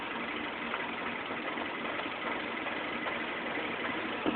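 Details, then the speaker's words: 2007 Mini Cooper at idle: engine speed hunts up and down unevenly, sounding close to stalling; owner doubts this is normal, rough idle cause not yet found. "Okay, here it is again, making that weird fluctuating engine sound. See, there it goes, fluctuates."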